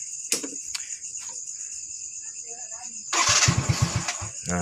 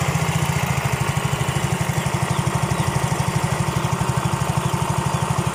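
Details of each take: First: Yamaha Mio J scooter, fault code 79 (ISC leak), after a shop replaced the cylinder block and piston rings: fires and surges and sags without settling, won't idle, lacks power; unstable idle from wrong cam timing and misfitted piston rings. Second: Yamaha Mio J that would not idle, felt weak and flashed ISC leak code 79, after bearing replacement and repair: steady, even low chuffing idle with no knocks or rattles; now normal, code 79 still to clear.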